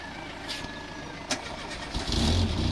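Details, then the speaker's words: Renault Clio 1 phase 2, 29 years old, 1200 cc four-cylinder petrol engine with 60 hp: a brief crank, then it catches after about two seconds and settles into a steady, even idle. A clean, normal start, with wasps nearby. "Et la voilà démarrée avec des guêpes pas loin."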